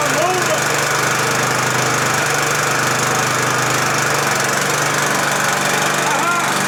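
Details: Husqvarna LTH 1542 lawn tractor running after starting on the third try. Loud, steady small-engine drone at an even pitch with no stumbling, knocking or surging. Mower running healthy.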